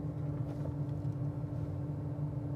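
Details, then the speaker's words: 1970s barn-find Ford Cortina project with a 46-year-old engine: heater blower switched on and heard with the microphone moved close, a steady low drone with a constant hum and no rattle or scrape, blowing leaves out; works normally. "Ooh, fans work."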